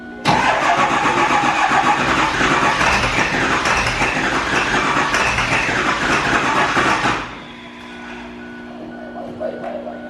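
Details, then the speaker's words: 7.3L Powerstroke diesel, warm, started with ether: rough, lumpy clatter with uneven beat before dying; passenger-side bank not firing, running on one side, traced to faulty injector harness. "It sounds like the passenger side ain't hit. Running off one side of the engine. That's why."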